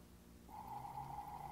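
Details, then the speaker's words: Early fuel-injected Mercedes (late 1950s–mid 1960s) Bosch electric fuel pump bench-tested on 12 V after being opened, cleaned and reassembled: brief quiet, then a clean steady level hum; pump running normally after repair. "Okay, listen to that. Success! And it didn't cost me hardly anything other than my labor."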